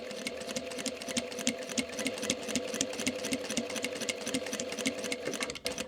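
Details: Sewing machine with a fresh needle stitching microfiber sample: quick, even stitch ticking with no catches or thumps; needle pierces cleanly, normal stitching, unlike the knocking of a blunt or burred needle.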